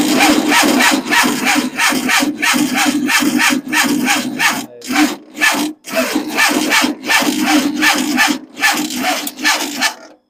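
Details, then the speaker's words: Engine cranking slowly on first start after months of rebuilding: dragging, uneven chug about two and a half strokes a second with pauses, as the weak battery can barely turn the starter; suspected fuel pump issue also noted. "The batteries just doesn't have it. Doesn't have what it needs."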